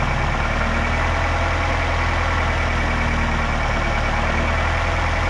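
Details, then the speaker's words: 2008 Nissan X-Trail T31 2.5L with replacement engine just installed, first run while bleeding coolant air: steady, even low idle with a smooth hum, no knocks, ticks or misses; running nice, normal idle. "but it sounds like we've um bypassed that which is great and um yeah it's running nice"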